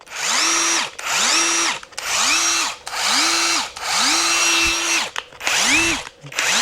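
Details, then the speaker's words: Kincrome cordless 1/4-inch impact driver, 225 Nm, on speed setting 3: about one-second bursts winding up to a steady high motor whine then dropping away, takes a second to ramp up; normal run. "Sounds good, takes a second to ramp up."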